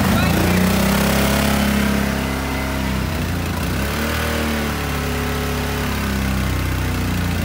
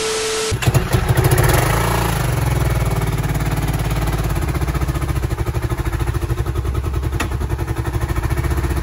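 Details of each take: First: 2010 Kawasaki Brute Force 750 twin after the previously dead cylinder was made to fire: steady, even beat around three pulses a second, both cylinders firing cleanly, no misfire or stumble; now runs clean and pulls hard. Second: 2010 Kawasaki Brute Force 750 ATV: starts, then settles into an uneven, lumpy idle with irregular beats; one cylinder not firing.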